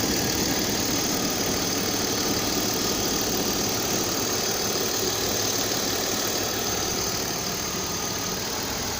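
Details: BMW 528i E39 from 1999 with M52B28TU engine: dull, rhythmic knock about three times a second over a steady idle; cause unknown.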